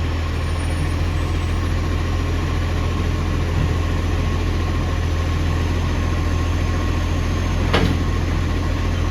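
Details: Ex-Canberra bus 728 heavy diesel idling with a loud chuffing rasp over a deep drone from an exhaust leak.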